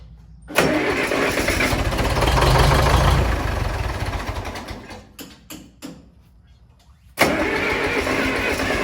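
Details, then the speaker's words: Mid-1960s John Deere 3020 diesel tractor, about 477 hours, after sitting 5 years, new battery fitted: catches quickly and runs loud and even, dies briefly, then restarts and settles; normal start after long storage. "We don't have any fuel cuz we don't have any smoke."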